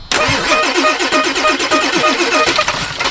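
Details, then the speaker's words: Ford 7.3 Power Stroke diesel farm truck, sitting for years, in Minnesota winter: steady rapid cranking about six beats a second for over two seconds, no firing, then a squeak; owners suspect it needs fuel or oil pressure. "Oh, come on, girl. She might just go, or she might need fuel."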